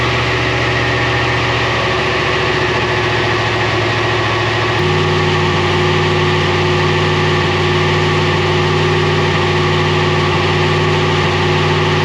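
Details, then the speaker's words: LS V8 in GQ Patrol with 6L80e on dyno rollers, new spark plugs fitted: loud V8 under load with uneven stumbling beat, breaking up; misfire persists, scanner shows oscillating fly-by-wire throttle position, cause unconfirmed. "As you could hear from that, didn't help, still doing it real bad."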